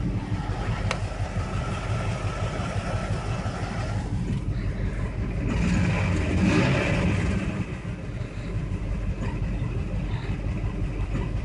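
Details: Engine knock and rough, uneven idle that swells briefly on a throttle blip; owner found a bad MAF and EGR, has replaced the MAF but not yet the EGR, and it still runs badly; cause unconfirmed.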